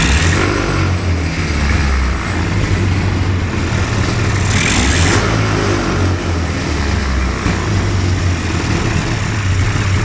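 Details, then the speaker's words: Hurricane hovercraft two-stroke engine after new coil and carb float set to 24 mm, coolant still cold: loud buzz with revs rising and falling cleanly without stumbling; runs well, later quits. "Sounds like a Skidoo, doesn't it?"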